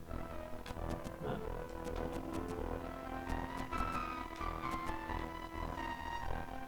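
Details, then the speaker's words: NEC PC Engine Core Grafx II with Super CD-ROM², needing a recap: game music comes through harsh, muffled, distorted and very muted with no clean treble, indicating faulty audio output. "So the music is coming through, but it sounds terrible. Very distorted, very muted."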